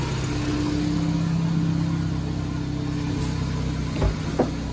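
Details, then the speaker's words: Nissan Grand Livina, engine idling with hood open and AC on after alternator bearing replacement fixed a rough noise: even, smooth idle with compressor running, no whine, rumble or rattle from belt side; normal. "Kita coba hidupkan AC-nya. Ini posisi AC hidup. Posisi AC hidup juga suaranya normal."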